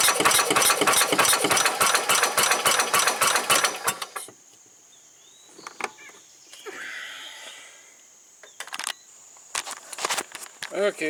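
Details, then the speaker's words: 1990 Club Car golf cart engine, on a nearly dead battery cranking slowly, with a new spark plug tried: a few seconds of ragged, stumbling firing at about three a second, then it dies. Owner suspects the wrong replacement carburetor and a fuel pump not filling the filter. "well I finally got it to fire a few times"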